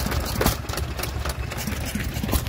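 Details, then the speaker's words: Small Hercules open-crank hit-and-miss stationary engine at a rally: low thuds at a loose, uneven rhythm under fairground noise; running happily and normally. "Absolutely lovely little engine that. I do like open crank, hit and miss."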